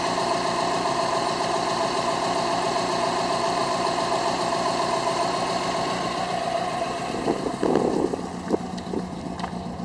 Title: Misfiring WRX